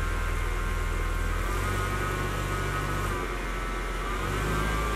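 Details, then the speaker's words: UAZ Hunter (rental) after releasing transfer-case-mounted handbrake on slope: engine roars and labours in low steps, vehicle won't move and stalls; something jammed in the handbrake mechanism, suspected, not confirmed. "А он ревёт, стоит на месте и глохнет. Что за ерунда?"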